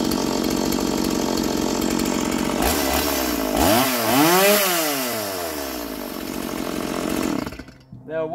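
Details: Roadside-find Stihl MS170 chainsaw, first start in years with an uncleaned, dirty carburettor: revs up and dips as it bites into wood, pitch sweeping smoothly; runs clean without stalling, a healthy saw.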